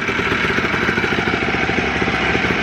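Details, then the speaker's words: Two-stroke Blaster, after the float bowl and float plunger were fixed for a leak and a missing throttle jumper was reconnected for the TORS issue. Quick, regular popping holds a steady idle without hunting, so it is idling normally. "pretty much i forgot to jump these or maybe it fell off i'm not sure i don't even remember but she's idling"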